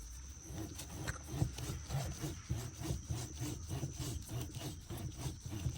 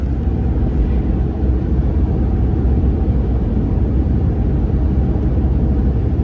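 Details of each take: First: 2014 RAM 1500: worn front wheel bearing turned by hand gives a gritty, rasping rub in uneven bursts. It is hard to turn and gets stuck instead of spinning smoothly, and made noise while driving; the noise is gone after replacement. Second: 2014 RAM 1500 test drive on the highway after front wheel bearing replacement: steady, even road rumble with no hum or growl from the wheels. The old bearing was stiff and sticking, and the bearing noise is gone.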